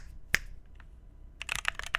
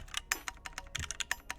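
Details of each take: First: Phoenix45 keyboard, red aluminum case over brass weight, 2U backspace: quick even soft clacks with no ping, rattle or hollow echo, much better, backspace sounds good. Normal typing sound. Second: Phoenix45 keyboard, red aluminum case over brass weight, built without foam: each keystroke clacks and leaves a short metallic ring; desk and desk mat may contribute, but the board itself pings, so foam is to be added. Case ping.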